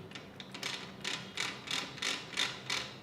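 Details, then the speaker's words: Hero i-Smart 110cc engine assembly, kick shaft turned on the bench: sharp tinny ratcheting clicks in bursts about three per second, the noise it makes when the kick shaft gear timing dots are not aligned; correctly timed, it turns smoothly and silently. "अगर kick shaft की जो timing है वह proper नहीं होगी तो कुछ इस तरीके की आवाज आएगी"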